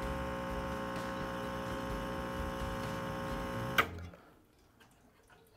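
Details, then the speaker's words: 2020 Rancilio Silvia espresso machine pulling a shot, pump under pressure; steady buzzing hum through the shot then cutting off, normal pump operation. "so I usually go to the three and you can hear the pump that's under pressure"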